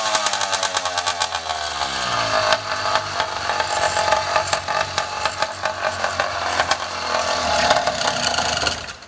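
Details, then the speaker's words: 80cc motorized bicycle two-stroke, after rebuild with new exhaust: revs up and holds a busy, crisp buzz with even firing, no sputtering. "oh all right sounds like it's iing good sounds like it's hling"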